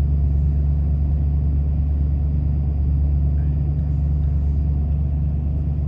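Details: 1993 Ford F-150, about 110,000 miles, at startup: deep uneven idle rumble never settling, check-engine light flashing codes 998 (limp mode) and 122; throttle position sensor failed, part on order.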